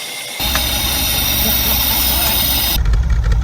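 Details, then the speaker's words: Holden Commodore idling after sitting 10-15 years at a wrecking yard, first start: steady, even idle with no exhaust puffing or ticking; runs normally, though owner thinks it needs new spark plugs. "It doesn't even sound like it's got a hole in the exhaust. Nah. Should probably do with a set of spark plugs though."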